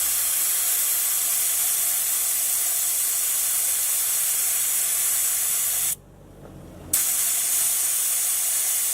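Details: 4WD tyre being aired down with a valve-core deflator that is now properly undone and seated: a loud, steady rush of air at full flow, briefly cut off then resuming, with no sputter; all the air releases at once.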